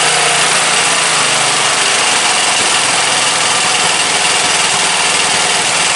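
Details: Briggs & Stratton 17.5 OHV single-cylinder lawnmower engine after new hand-cut gasket; loud steady drone at even speed, no surging, stumbling or rattles; starts every time on key, compression release working, runs healthy.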